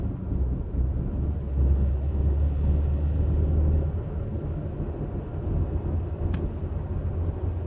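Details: Audi driving with a low, steady droning hum under road noise, the growl of a bad wheel bearing.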